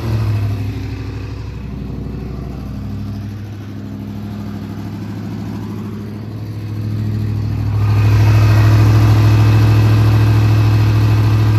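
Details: Big-block Monte Carlo street car, just got running and timed after rear end install, distributor still to be tightened: deep, steady, even idle rumble, then a smooth step up in revs that holds cleanly; normal running.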